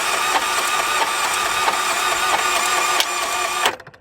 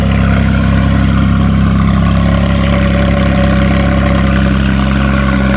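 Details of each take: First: Salvage-auction car with mechanical total: starter spins the engine fast and evenly with no compression strokes; something let loose inside, possibly timing chain, suspected no compression, not confirmed. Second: Salvage-auction wrecked car with front-left frame damage, running off a jumper pack through a loud aftermarket exhaust: very loud, deep, smooth, even drone with no knocks or misses. Normal idle and rev.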